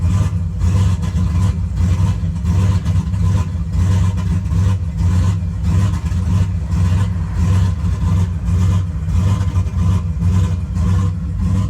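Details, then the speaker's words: Cold start on a turbo GMC truck with an E38 ECU, exhaust cutout open: the idle surges badly, hunting up and down, swinging lean and rich. It stalls, timing tries to correct, and short-term O2 trims add 25% fuel. Fine once warm; cause unconfirmed. "It surges extremely bad. It's lean, it's rich, just kind of going all over the place. As soon as it's warmed up, it's fine."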